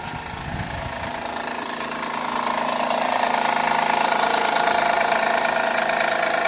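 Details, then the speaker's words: 2011 Honda Accord on a cold start: a fast, even ticking clatter over the idle grows louder over a few seconds and sounds like low oil, but oil is full. It lasts 5–10 minutes until warm and returns after sitting an hour; cause unknown. "It'll do that for 5 or 10 minutes until the engine's warm, and then, I can turn it off, back on, drive it. It's fine. It just does it, and then if it sits for an hour, it'll be loud again."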